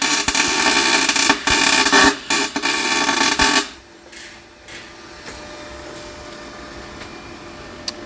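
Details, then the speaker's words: MIG welding a BMW M3 differential solid (locked) for drifting, wire speed and voltage turned up; loud, steady frying crackle with short breaks; normal MIG welding. "i just cranked up the wire speed cranked up the voltage let's go down oh yeah"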